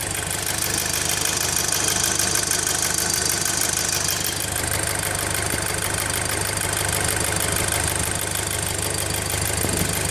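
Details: VW Golf GTI Mk5, PCV valve and cam follower just replaced: steady idle with quick, fairly even ticking over the engine; unidentified engine noise, source unclear.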